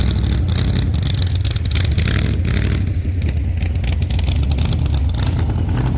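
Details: 1948 Chevy Fleetline small-block Chevy V8, 4-speed, after a fix for push rods breaking on the first burnouts: loud, steady V8 roar held at high revs during a test burnout, no ticking or clatter, sounding healthy.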